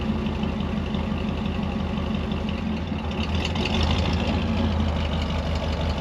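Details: Ford 302 V8 Econoline van, cold start after replacing bent #5 intake pushrod (suspected stuck valve), dual exhaust. Low, steady idle, a touch lumpy while cold, no clatter or tapping from the valvetrain; engine sounds normal.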